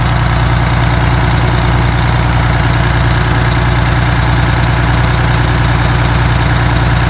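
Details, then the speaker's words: Detroit 6V92TA two-stroke diesel, idling on test run after Jake brake install: loud deep steady drone pulsing evenly, no knocking or misses; oil took a minute to reach the jakes; successful test, sound engine. "Alright, I think it's a successful test. Took it a minute there for the oil to get up into those jakes."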